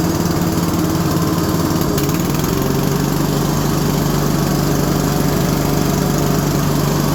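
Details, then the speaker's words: Single-cylinder engine on a garden tractor mower after deck and drive belt repair, first test run; steady but lazy low-pitched running, governor set too low and about to be turned up: low governed engine speed. "Okay, we're making some progress. Let's get that governor turned up quick."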